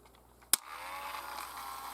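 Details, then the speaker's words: Panasonic VHS play pack adapter for full-size VHS, low batteries: a sharp click, then a faint steady buzz as the small motor pulls the lid up and extends the tape, working normally. "you put the tape in here and then you hear that sound the buzzing that's the um tape adapting here"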